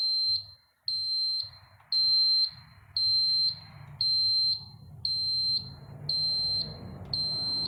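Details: Cummins-powered bus chassis exposed to the elements about three years; a jumper restores power to the fuse panel and ECM; an evenly spaced, high-pitched dash warning beep sounds about once a second.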